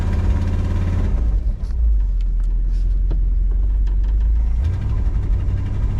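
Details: 1962 Ford Galaxie V8 that sat over 20 years, under way at light throttle: low, even rumble that eases off and picks back up smoothly with no misses or knocks. Running pretty good.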